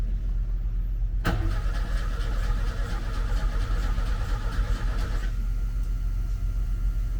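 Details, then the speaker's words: Opel Kadett freshly fitted with a FuelTech RacePRO-1Fi programmable injection, no throttle cable. The starter churns steadily at about four beats a second but the engine never catches. No fuel is visible at the injector, possibly air in the line; spark still to be checked. "I can't see fuel Maybe there's air there But maybe it has air"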